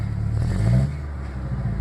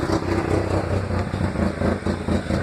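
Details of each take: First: 1996 Ford Ranger 2.3 after a small mod: quick throttle blips, revs rise cleanly and drop straight back to a steady idle without stumbling. Owner says it runs great, only noting a slight gas smell. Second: 1996 Ford Ranger 2.3 lacking power and shaking, with known wiring issues; right after start, off throttle it spits and misses badly, idle surging and sagging about four pulses a second as if to stall; rough idle, cause undetermined.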